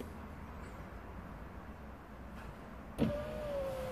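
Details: 2014 Volvo XC60 being repaired for a non-working electric window (fault B118E00): quiet cabin, sharp relay click, then smooth even motor hum as the window runs up; normal power window operation.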